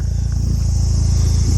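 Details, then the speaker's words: Mitsubishi Evo 6.5 TME RS, abandoned car, warm idle: steady even low rumble with no misses or knocks, remarkably smooth. "seriously how does this thing idle this good listen to this that's crazy right"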